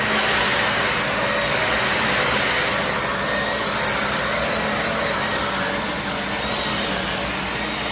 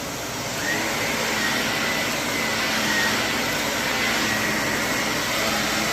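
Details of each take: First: Shark Navigator vacuum bought cheap, brush roll on: even, steady motor whine with the brush roll spinning smoothly, no rattles or pitch wander; normal running. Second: Shark vacuum (CU510 or NV60): steady motor roar with faint, irregular high-pitched chirps on top; squeak likely from the brush roll, which probably needs replacing.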